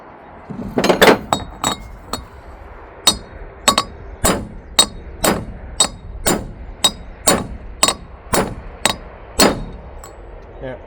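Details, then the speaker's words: Tent trailer wheel bearing race (2000 lb axle) being hammered in: sharp ringing blows still sound hollow and tinny with a visible gap, race not yet fully seated; a solid sound comes once it bottoms. "It will make a different sound. Once it hits the bottom, I don't know if you can see this, but there's still a gap right there."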